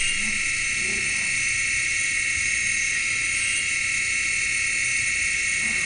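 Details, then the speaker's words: Failing hard drive emitting the "ray gun" sound: a piercing, steady, shrill high-pitched screech with no clicks, a sign to back up data now. "this one they call the ray gun that's an actual sound of a hard drive that that's an actual sound can you believe it sounds like"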